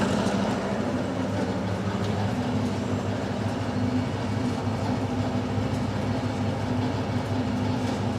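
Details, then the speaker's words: Milling machine taking a heavy 1 mm cut, with about 1.75 mm left to bring the part to 30 mm; steady, dense churning roar with a low hum, no knocks or squeals, pulling the cut evenly. "So I'm going to hoof into it now with a 1 millimetre cut. Just go one, and you'll hear the difference in the machine."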